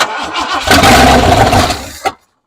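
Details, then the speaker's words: 1968 Ford F100, sat over five years, newly fitted Holley carburetor, temporary boat fuel tank: brief cranking, about a second of rough running, then abrupt stall once the carb prime is used; fuel starvation, pump apparently not delivering fuel. "Running out of fuel already."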